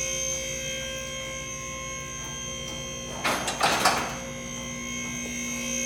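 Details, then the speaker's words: Lift King 4-post car lift raising a vehicle: steady electric pump hum with one sharp rattling clack as a safety lock drops in; lift rising normally with safety locks engaging. "And you come over on this side here. These are your locks, and they're popping in your safeties as they go"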